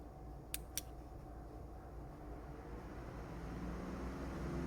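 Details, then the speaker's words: 1981 Corvette with an overheating issue, electric cooling fan newly wired with a harness and switch: two quick clicks, then a soft steady whir that grows as the fan spins up; the fan runs normally. "You hear the fan? There you works. All right. We now have a switch for our fan."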